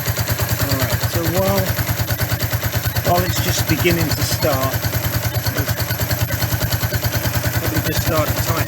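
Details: 1994 Suzuki GN125 that would not start, idling after a carburettor clean and refit: even, steady single-cylinder thump with no misses or knocks; running cleanly.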